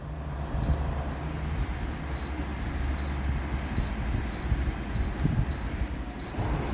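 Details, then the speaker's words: Daikin AC with coil sensor removed from the board: short single beeps as each code is stepped through, then a long beep marking C4, the coil sensor error. "ஓகேங்களா இப்ப long beep sound கேட்டதுங்களா சி4சி4 தான் sensor error இப்படிதான் இதுக்கு error பாக்கணும்."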